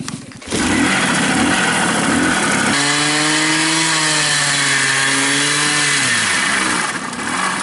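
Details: Babetta two-stroke moped on offroad rally, after losing power as if starved of fuel: buzzy revs up, holds high steady note, falls away smoothly, pulling cleanly without missing.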